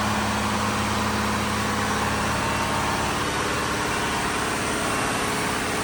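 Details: Diesel fire pump engine on its weekly half-hour test, isolation valve closed so it churns, with a loud, steady drone, even beat and no knocks or misses; running normally.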